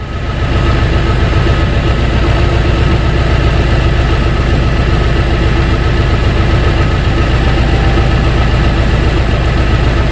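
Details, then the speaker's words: 2003 Ford Thunderbird idling on an 18-degree morning with electronic throttle defaulting: engine misfires and idles unevenly with irregular low thumps as the throttle control tries to hold idle. "we can hear the engine and the engine is now misfiring i can hear it so it's trying to control the the idle"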